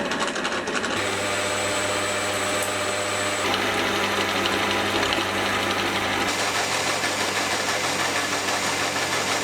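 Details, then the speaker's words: Geared-head lathe headstock gearbox running (gearbox rather than a DC motor): very loud steady gear whine with a high singing tone over a constant rattle, louder than lathes two to three times its size; noisy gearing, cause unclear. "It's the sound, it's crazy loud, and in fact, I've never heard a lathe that is as loud as this."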